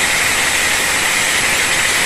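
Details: Hand grinder after replacing worn-out carbon brushes, plugged back in: loud steady high whine at one pitch with an airy rush, no sputter or dropouts; the motor runs normally again after the repair.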